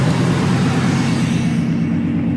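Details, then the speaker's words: 2003 Ford F-150, 4.6 V8, that would not crank; after jumping the starter solenoid's two terminals it cranks and starts, settling into a steady, even low rumble with no knocks or misses, running normally. "So, just uh there you go. Cranks up and runs."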